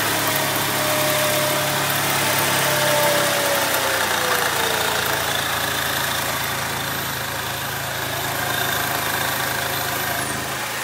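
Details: Saab 9-3 Aero at idle: faint high whistle gliding down in pitch over steady rumble; whining noise, owner suspects turbo.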